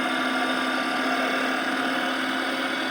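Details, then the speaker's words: 2014 Dodge Charger Pursuit 5.7L HEMI, 5-speed automatic, about 116,000 miles, driving: whine from the driveshaft tunnel changes with road speed and throttle on/off, seemingly not with gear; owner suspects rear axle, transmission or hanger bearing. "it does change with the uh speed of the car when I take my foot off the accelerator or put it on the accelerator changes"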